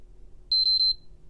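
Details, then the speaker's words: PS5 Blu-ray Edition board at power-up drawing at most 14 mA; three quick high-pitched beeps and no power-on, board not initializing. Corrupt firmware suspected, and a suspected faulty IC is to be removed and read. "um so let me apply power to it over here here let's see what it does yep 14 milliamps is the highest it went and of course we still get the beeps do it"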